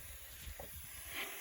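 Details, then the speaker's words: Subaru STI boost leak test at about seven pounds of pressure: a steady, airy hiss of pressurised air escaping from a leak in the intake, located with soapy water. "lost pressure so i got a small leak here somewhere so you'll probably be able to hear it hissing you can get some soapy water"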